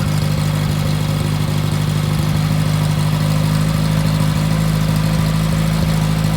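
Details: Freshly rebuilt VW Type 1 1776cc engine (90.5mm pistons, Engle 100 cam) bench-run on a dolly during dynamic timing with Flamethrower distributor: even, steady low hum at idle with no knocks or ticks; running healthy.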